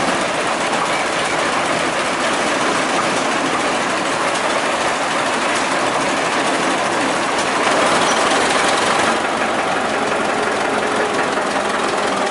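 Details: 1926 Twin City gas engine in a Northwest 105 dragline, running: an uneven, clattery knock of roughly four a second under a rattly mechanical din. Rod knock that must be fixed before a rod breaks through the block.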